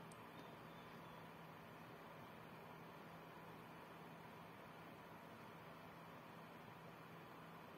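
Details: PC-Tech FA-500 500W ATX power supply with 120mm fan, under GPU stress test on a GTX 650 Ti: steady airy fan whoosh with low even hum; normal fan noise under load.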